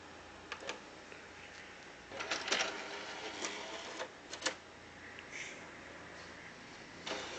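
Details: PS3 with a disc in, noise started today: quiet, irregular whirring and scraping bursts come and go as the disc spins; rough mechanical noise from the drive, cause unclear.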